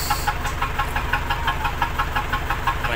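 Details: Isuzu D-Max diesel, hard to start, running roughly with sharp regular knock about three times a second over low rumble; smells of unburnt diesel, water mixing suspected; head gasket problem suspected, not confirmed.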